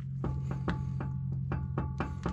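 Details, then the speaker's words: 2004 Chevrolet Silverado on jack stands, front wheel rocked by hand before repair; sharp knocks about three per second from play; badly worn inner tie rod. "That should not do that at all. And just so you can see how bad this one was. You can hear it."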